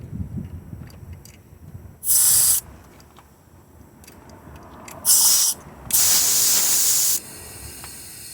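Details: 2004 Lexus RX 330 no-start with a leaking water pump, air pushed through a spark plug hole while watching the radiator neck: bursts of sharp hissing as air escapes into the cooling system. This points to a blown head gasket or warped head.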